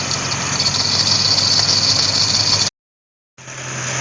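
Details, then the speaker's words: C4 Corvette A/C converted from R12 to R134a: harsh gravelly rattle with thin whine as compressor first starts, "like a box of rocks". "that compressor sounded like a box of rocks when it first started up"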